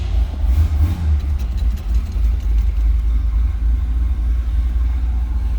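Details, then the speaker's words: 1978 Chevrolet Corvette Silver Anniversary, V8, 4-speed manual, 38,818 miles, cold start: it fires easily and settles into a deep, even rumble with a smooth, steady beat, a healthy cold idle with good oil pressure. "And as you can hear, starts easily."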